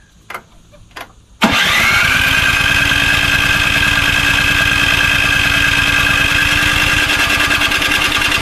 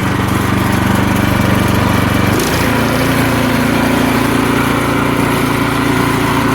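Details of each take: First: Craftsman snowblower model 247.889571, about 10–12 years old and little used, good spark and clean piston; starter cranks about three times a second for nine seconds with a steady whine, never catching; stale fuel smell, carburetor suspected dirty. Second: About 10–12-year-old Craftsman 247.889571 snowblower, lightly used and given away as a non-starter, running on fresh ethanol-free gas after the old fuel was drained: small single-cylinder engine settles into a steady, even chug with no misses or knocks; healthy idle.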